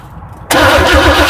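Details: 1978 Chevy K10 after sitting 27 years, cranked right after a new Pacemaker ignition module was installed with the old condenser: starter spins the engine steadily but nothing catches or fires; cranks but no start, spark confirmed.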